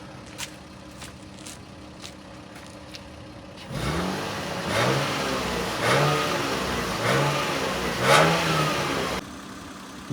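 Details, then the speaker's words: Toyota Chaser GX100 with 1G-FE engine after valve stem seal replacement and Dimexide flush, reassembled, run in, fresh oil, idled over 5 minutes: smooth idle then four clean even rev blips, no knocks or misses; normal revving, healthy engine. "Итак, двигатель работает на холостом ходу уже более 5 минут, теперь проверим обороты."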